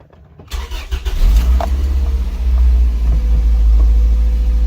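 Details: 2003 Toyota MR2 Spyder after MAF sensor cleaning, reconnection and battery reset for P0171 code: brief crank, fires promptly into a steady even idle with smooth low hum; normal start, check engine light gone.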